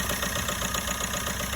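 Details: 1.3 Astra at idle after EGR valve found sticking closed and causing no-start, cleaned, diaphragm greased and intake pipe cleaned: steady, even idle with smooth low rumble, no misses or hunting; running normally.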